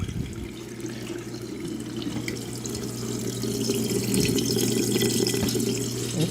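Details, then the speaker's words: GE dishwasher draining an overfull tub: steady low pump hum under rushing, gurgling water, even and unbroken; drain pump working normally. "okay just stop draining let's see if we got all the water out see almost a little bit in there just because there was so much in there it filled up twice so we'll go back and try to drain the rest out yep still draining"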